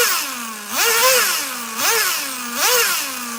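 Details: Traxxas Nitro Slash nitro engine on the bench: shrill engine blipped three times, each rev climbing fast then sagging slowly to a thin idle; owner thinks it's a little too lean.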